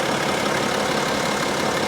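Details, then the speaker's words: Diesel BMW X5 xDrive35d warmed up, idling: even, steady diesel clatter with no misses or uneven beats; smooth, healthy warm idle, no fresh oil leaks. "she sounds good it sounds really really good wow she purrs like a kitten super smooth"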